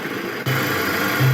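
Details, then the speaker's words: BMW 318ti petrol engine with unstable, high idle and fault codes 2E95 and 2D0F. With the mass airflow sensor (MAF) disconnected, the idle drops to a low, even, steady tone with no hunting, pointing to the MAF as the cause. "Ahora fijaros, ahora el motor funciona perfectamente. Ahora mismo el ralentí ha bajado y está estable."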